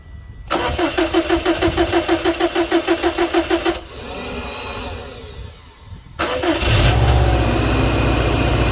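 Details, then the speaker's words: 2007 Subaru Impreza that would not start on a dead battery, cranked after the battery was replaced: strong, quick, even cranking about three turns a second, a pause, then a second crank fires promptly into a smooth, steady idle. "all right we'll give this thing a crank"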